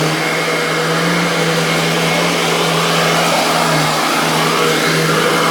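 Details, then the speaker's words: Royal Classic Edition model 4000 metal upright vacuum (mid-1990s), large motor, switched on and screaming at full tilt: loud, steady high-pitched tone with no grinding or wobble; motor running normally. "so anyway without further ado let's go ahead and turn this vacuum on and you can hear this thing's scream at the top of its lungs"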